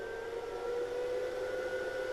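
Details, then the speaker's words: Welding inverter on a variac at low mains voltage, started at about 70 V: cooling fan whirs and shifts pitch, speed varying below 100 V as stabilization kicks in. "Вот видите, слышите вентилятор? Вот до 100 вольт меняет обороты."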